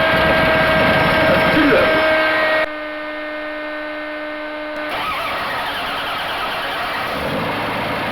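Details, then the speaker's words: 1980 Dodge D150 slant six at full operating temperature after a drive, previously idling high: restarted while the idle is tuned, it settles to a steady, smooth, slightly lower idle with an even low hum and no knocks or misses. "my biggest complaint is it still seems to be idle in high so let me fire it back up see if we can't get the idle down a little more"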